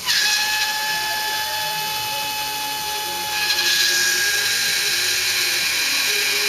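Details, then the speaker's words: Bench-test electric fuel pump drawing from a fuel jug on the floor, not gravity-fed, with a freshly tightened filter. High, strained whine around 800 Hz with faint rough pulsing. Pump straining to suck fuel up. "I got the fuel on the floor I should have had to feel on the on top of the bench because I should have a better gravity feet you hear it in the pump when it's trying to suck the fuel up out of the out of the jug"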